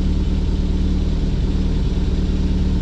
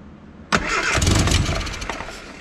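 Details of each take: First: Austin America (Mini) with SU carburetor, after a new fuel filter, fuel pump repair, new battery and idle adjustment; steady, even low rumble with no stumbles; smooth idle. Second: Austin America (Mini) with SU carburettor, first start after new fuel filter, fuel pump fix and battery: engine catches and settles into a slightly lumpy, soft idle; mixture adjusted to maximum rich, far too rich.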